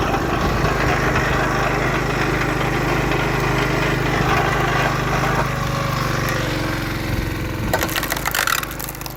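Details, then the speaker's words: Log splitter small engine test-run after the hydraulic pump was rebuilt with a kit: a steady drone whose pitch dips as the pump pushes the ram, then wood cracking. Normal operation. "all right we'll give her a little start and if you can hear me over the engine we're gonna crank it down and do a little log split"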